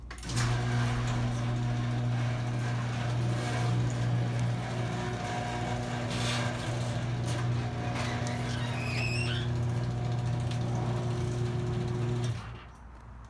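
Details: Craftsman 1/2 hp chain-drive garage door opener opening: steady motor hum, low drone and chain rattle about twelve seconds; motor runs a little loud.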